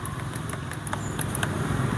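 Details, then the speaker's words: Honda automatic scooter with ACG (smooth) starter and a good battery: only light ticking over a low rumble with no cranking, starter-generator not turning; typical cause is a fault in the three-phase line from stator to ECM, especially a burnt connector. "kemudian kalau kita dengarkan disini bunyi titik-titik saja"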